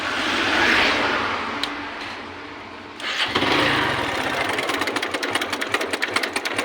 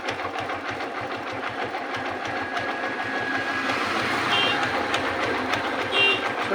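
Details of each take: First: Hero Glamour motorcycle engine running with fast, regular metallic chatter loudest up top; timing chain has gone slack because the chain tensioner failed, tensioner to be replaced with a new one. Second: Hero Glamour motorcycle after fitting a new timing chain to cure a loose-chain noise: even, light ticking idle with no rattle or slap from the cam chain area; the engine sounds healthy.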